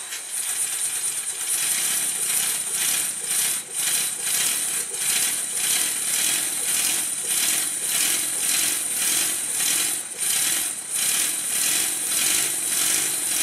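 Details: Rebuilt Stuart model steam engine with the slide valve turned the right way in the steam chest and timing corrected, on low pressure. Crisp, regular exhaust beats of about 100 a minute; running smoothly.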